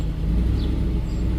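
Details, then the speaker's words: 2010 Ford F-150 4.6L with many VVT/cam phaser codes, at start-up after a motor flush: the timing chain guide rattle has gone as oil pressure reaches the tensioners, leaving a smooth, even idle. "sounds pretty good right now so when it was uh when that rattling goes away and you start it up you know your oil pumps pumping well into those guide tensioners so i mean she's smooth as glass i mean idling perfect"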